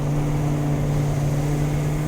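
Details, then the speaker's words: Land Rover Discovery V8 at idle before exhaust repair: loud, open, unmuffled bark; centre muffler missing, catalytic converters removed, exhaust in poor condition. "This Is My Land Rover and it sounds bad I don't know I'm sure the Raptor coat Brigade think it sounds pretty cool but I don't personally feel the need to hear my lack of Cam Shaft from outter"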